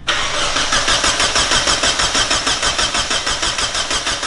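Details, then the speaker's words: Mazda Miata first start, cranking on starter: even cranking about three turns a second, steady rhythm with no knocks or bumps; engine turns over cleanly. "i don't know that sounds pretty healthy i'm pretty happy about that yeah nice and clean no bumps no bumps no knock yet"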